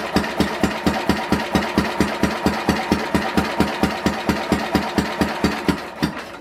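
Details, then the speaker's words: 1967 Simplicity Landlord 2010 lawn tractor cranking during a compression test: soft, fading compression strokes at about 130 a minute. The gauge reads about 50 psi net, far below what it should be; owner suspects lack of compression. "I think it's a lack of compression, because right there it's at 70. We started with it at 20, so it's only 50 pounds of compression, and it should be way more, a lot more."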